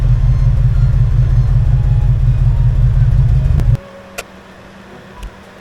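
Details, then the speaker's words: 1989 Ford F150 idling: a deep, steady, even rumble. Yesterday's clanky knocking, which sounded like loose rocker arms or lifters, has cleared up today. Normal running. "Well, the engine actually sounds better today. And let me explain what I mean by that."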